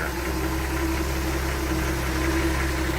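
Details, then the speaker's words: 1967 Ford F-100 custom cab, 240 cu in inline six, hood open: even low rumble at idle with steady beat, no tapping or misses; one smooth running engine. "you have it. One smooth running engine, 1867 Ford F-100 custom cab."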